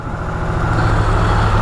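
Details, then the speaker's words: Brand-new Harley-Davidson Sportster S started right up after charging its battery for a few minutes (drained by the key fob; owner thinks the battery is going bad): short burst of firm, even idle with a steady low pulse, no stumbling; normal. "I guess my battery's going back but regardless this is a brand new bike should not be going this bad period"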